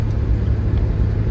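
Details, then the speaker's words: 1991 Chevy S10 Blazer 4.3 V6, about 322,000 miles, after an earlier no-restart (flooding or a jumped timing chain suspected): deep steady rumble with even firing, no misses or knocks; timing seems fine, normal running. "But it's driving fine right now, so... And it sounds good. Sounds like timing is fine and it's firing when it's supposed to, so..."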